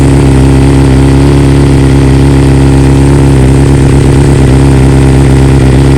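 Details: 2020 BMW S1000RR, warm engine, just back from dealer after two coils replaced under warranty and software updated to newest stock version: smooth even inline-four idle with steady low pulse, no misses or stumbles; normal idle.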